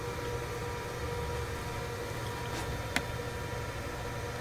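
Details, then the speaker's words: Loud, steady whooshing cooling fan with a hum underneath, like a vacuum cleaner, on a Datatech IBM PC XT clone with 8088 CPU; no scraping or ticking, a loud but healthy fan. "German an apt name because this thing sounds like a vacuum cleaner"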